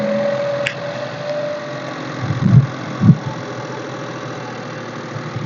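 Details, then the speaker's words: Used car, first cold start of the day during a pre-purchase inspection, not warmed up beforehand: catches and holds a raised steady idle that eases lower after 5-10 seconds, running evenly; normal cold start fast idle. "जब हमने ठंडी गाड़ी को start किया तो पहले गाड़ी का आरपीएम जो है वो थोड़ा सा ऊपर गया क्योंकि गाड़ी ठंडी थी और उसके बाद कोई 5 10 सेकंड के बाद जो है वो आरपी अब तकरीबन नॉर्मल हो चुका है"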